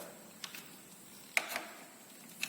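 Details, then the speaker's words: Torque wrench tightening valve adjuster lock nut on a Yamaha Pega ZR motorcycle during valve clearance adjustment: a few sharp light metallic clicks in quiet room as wrench breaks over at set 7 Nm. "Ini arah untuk mengunci sampai terdengar bunyi ya. Baik. Oke, ini sudah berarti sudah 7 Nm."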